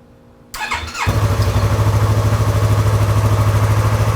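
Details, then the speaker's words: Stolen-then-recovered Yamaha R3, first start after replacing the engine case cover, topping off coolant and refilling oil. Starter whirs briefly, then the engine catches into an even steady idle with no knocks or misses. Normal engine start. "Oh my God, guys! We fixed the motorcycle!"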